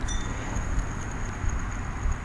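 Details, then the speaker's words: Idler pulley removed from a 1997 Jeep Grand Cherokee 4.0L and spun by hand: a thin, steady high ring with a faint dry hiss as it coasts, indicating a worn bearing; a new pulley spins silently and stiffer. "of a little bit of noise when you just spin it with your hand so which would indicate that the bearing is a shock"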